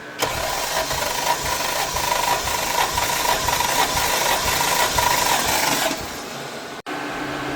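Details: Mk3 Toyota Supra with a 1JZ-GTE swap, cranking before compression testing each cylinder, car not started recently and cold: even starter cranking about six seconds, steady three to four beats per second; compression looked pretty good.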